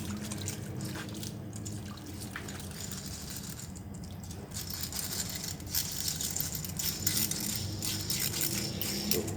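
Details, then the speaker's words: Worn inner wheel bearing spun by hand after removal; it had rumbled loudly on the vehicle. A dry, gritty rattle with uneven ticking gets busier with speed, and the bearing is worn and pitted. "Tadi kan gemuruh banget suaranya."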